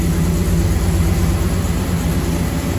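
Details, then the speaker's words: 1936 GMC truck with aluminum-block 5.3L LS V8 swap, first runs, in the garage: deep even idle, steady low throb about three pulses a second, no misses or knocks; healthy. "But she's running like a champ. I need to bleed the brakes still, but very happy. All that's running smooth. Sounds good in here."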